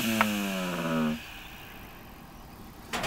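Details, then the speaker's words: Homemade micro grinder from an old 150 GB hard disk drive with emery cloth glued to the platter: buzzing motor hum, pitch sinking, cutting off after a second; vibration because the cloth is not quite centred. "that noise is just caused by vibration because this sound better plus paper or Emery and cloth whatever you want to call it it's not quite on um not quite scented"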